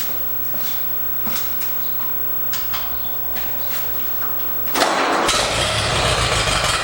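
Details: 1943 Allis Chalmers C tractor after repair work, including fixing a fuel leak: a few cranking strokes, then catches and settles into steady even idle with no misses; running well.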